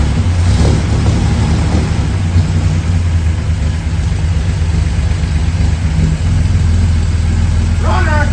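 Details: 1963 GMC Suburban barn find, 305 engine, first start on fresh plugs and cleaned points, fed from a bottle with the choke off: deep, steady low rumble with an even beat and no misses or knocks. Normal running.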